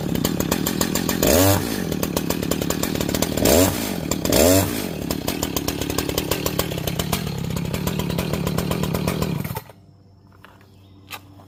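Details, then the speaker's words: Echo CS-590 Timber Wolf chainsaw after a no-start fix (a couple of drops in the cylinder, clean air filter, started on choke): it runs strong and even, revs climb cleanly through cuts, then shuts off crisply. It is running healthy. "just put a couple drops in the cylinder and it should fire up."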